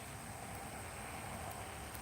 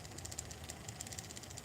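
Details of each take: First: Open-type gearbox on a motionette after freshly greasing the gears: a soft, even hum with no grinding or clicking. It was noisy before greasing and now runs smoothly and quietly. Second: that does not sound good that's what I mean about these closed gearboxes you get them closed and then something get that clicking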